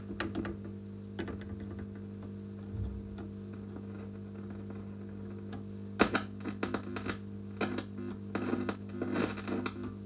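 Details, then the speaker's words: Epiphone Valve Special tube guitar amp, near power tube circuit: steady hum with random pops and crackles that come and go; a ground connection not properly made, grounds to be rechecked. "these grounds are not very good okay we've got a ground problem here one of these things is not properly connected to ground"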